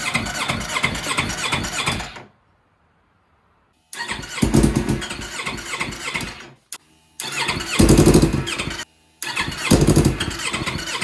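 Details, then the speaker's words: 2015 Yamaha R3 engine in a shifter kart build, after rerouting the exhaust: several sluggish cranking bursts at about three beats a second with pauses, never catching; owners suspect a weak battery, with wiring and fuel checked. "The engine just keeps running on the starter and nothing really is happening. The battery seems like it's not giving the starter motor enough power because it's turning over super slow."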